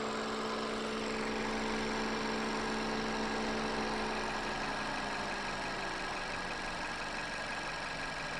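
Quiet, smooth idle with a steady hum and no knocks, misses or squeals; the engine and charging system sound healthy.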